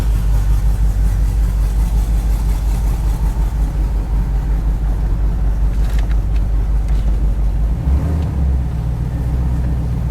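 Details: Drive-by-wire engine with a newly fitted throttle body, during a cold start logged on the VCM scanner: an uneven, lumpy, loping low idle. The cam was found too large for the stock induction.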